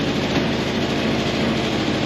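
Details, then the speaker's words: 1985 Nissan 720 4x4 ST truck idling after draining the tank; fast chuffing beat with uneven little exhaust pops at idle. Owner suspects a sticking throttle body injector or a plug, and notes an exhaust manifold leak too. "You hear that little popping? I do got probably either we got a throttle body injector that's sticking and not hitting right, or we got a..."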